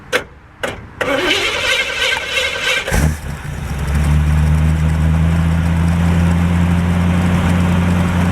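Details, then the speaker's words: 1949 Chevrolet restarted: cranks a few times, catches, settles into steady slightly uneven idle with smoke, warming until thermostat opens; rough running from storage, oil pressure unmonitored. "So we're going to crank it up again. Again, you'll see the smoke, whatnot. We're just going to monitor that, make sure that's not a bigger problem than I assume, and hopefully she'll clear up and run good."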